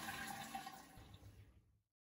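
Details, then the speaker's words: Basin mixer tap with quarter-turn ceramic-disc valves after cleaning and refitting the valves: toilet flush water rushes then fades within two seconds with no whistle or trickle, whereas before it whistled and leaked when the loo was flushed. "Now to turn the water back on and give it all a test and it's looking and sounding great no more whistling and no more trickling water another problem solved"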